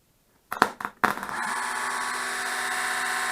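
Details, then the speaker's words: Manta permanent-magnet axial-gap motor (Etek/Lynch type), after repair for huge current draw and poor torque, run on 12 V via booster cables without speed control: clicks then even steady whir, no grinding, slight vibration; normal motor run. "that sounds great i think it's i think it's gonna be fine look at it vibrates with a tiny bit but i'm not too concerned about that"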